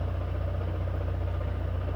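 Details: 2013 Chevrolet Classic (Corsa) at idle: faint rattling hum near the gearbox that stops with the clutch pedal pressed and returns when released, ruling out the clutch release bearing.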